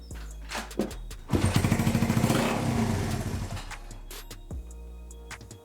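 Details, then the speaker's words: Honda CB125 cafe racer on a newly rebuilt wiring loom, tank off, running on fuel left in the carb: fires after a few cranks, uneven patter for a couple of seconds, then dies; voltage then lost, cause not yet found. "Okay, it's died again. I don't know what I've done, I don't know what I've touched exactly, but yeah."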